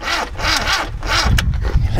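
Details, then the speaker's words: Classic Mini after a quick tune: the starter turns the engine over in slow, labouring sweeps at about four a second and it never catches; a low battery is suspected. "I think it's just low on battery in it because of, you know, start."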